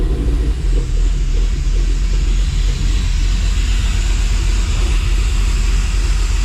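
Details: Dodge Dakota R/T 5.9L Magnum V8, new heads and cam, just started after rebuild. Running while fuel sync is set to +4 degrees with a Snap-on scanner, about 1,000 rpm. Low steady even rumble, no ticking or knocking; normal idle.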